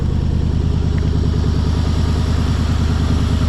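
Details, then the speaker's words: Mercury Grand Marquis with a 4.6 V8 and 109,000 miles, just started: a deep, uneven lope at about 2.5 beats a second with visible vibration; rough idle, and the owner suspects it is running on 7 cylinders. "Possibly running on 7, I don't know. Looks like it's got a little vibration."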